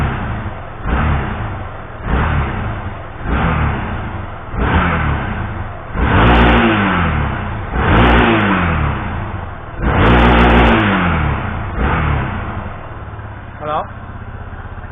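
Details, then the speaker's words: Yamaha XTZ Ténéré, warm, after intermittent stalling (owner unsure if humidity). Cooling fan running, no stalling, no blue, white or black smoke. Repeated clean throttle blips return smoothly to idle; normal warm revving. "Le ventilateur s'est mis en marche. La moto ne cale pas."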